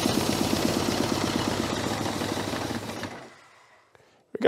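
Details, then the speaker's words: 1982 Honda GL1100 Goldwing, sat 12 years, first crank after starter repair: lumpy, uneven firing on only a couple of cylinders for about three seconds before dying; gummed carburettors hold throttles shut. "Now the carburetors are so gummed up, we can't open the throttles."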